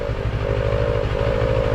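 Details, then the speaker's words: Motorcycle at idle: steady mid-pitched buzz over engine pulses from the TFT dash cowl bracket vibrating; buzz appears when the two bracket screws are tightened, stops when loosened; dashboard cowl vibration buzz. "you hear the noise let's loosen it up once you loosen it no noise very interesting there you go so once you tighten it up it just uh goes noisy again"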